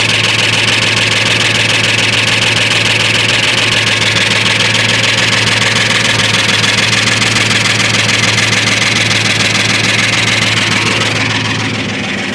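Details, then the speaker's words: Rebuilt 1998 Ford F-150 4x4 5.4 two-valve V8, rebuilt 1.5–2 years ago, lifters and lash adjusters replaced: steady idle with light regular tick about three per second from passenger side; ticking, cause unknown, exhaust and timing chain not yet checked. "And um all of a sudden acquired this nice sound."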